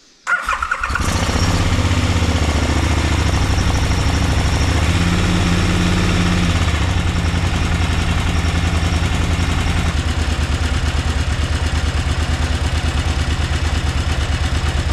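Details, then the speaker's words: 2003 KTM 950 Adventure (LC8 V-twin) after timing repair: engine catches after a brief crank and settles into a smooth, even, deep beat with no clatter; timing noise now clearly reduced. Normal start-up and idle. "bon je pense que tu entends clairement une différence de bruit avec le but"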